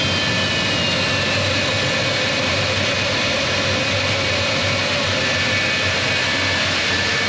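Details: J79 jet engines on a successful ground run after refuelling and fixing leaks, to verify the leak repairs; steady, even roar with a thin high whistle, no surging or pops. Normal, healthy jet engine idle.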